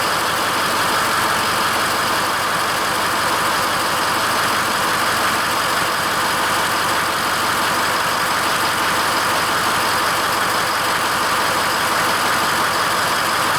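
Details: Ford F-550 6.0L diesel dump truck started after letting the glow plugs cycle, following a no-crank: steady, even idle with a smooth rumble and no knocks or misses while the alternator charges the right battery to about 13.1 V; normal idle.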